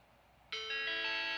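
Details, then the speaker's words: Vintage Macintosh with a repaired logic board, booting from a BlueSCSI: a bright ringing error chime at switch-on, likely because the disk image isn't set up for this machine. "it does and it gave me an error chime and that's probably because the image that's on here is not set up for this machine which is okay"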